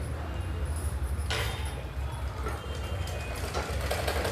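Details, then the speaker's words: Sewing machine running while stitching gives a dull taka-taka knock about four times a second that persists even after oiling; the needle bar is slipping and knocking, which can break needles or skip stitches; repair is at the rod. "టకటక టకటక sound వస్తుంది ఆ sound ఒకోసారి ఎక్కువైతే సూది కూడా విరిగిపోతుంది."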